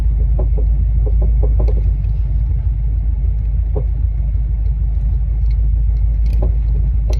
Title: Annoying clunking sound coming from the rear of S550 Mustang #s550mustang #mustang #coyote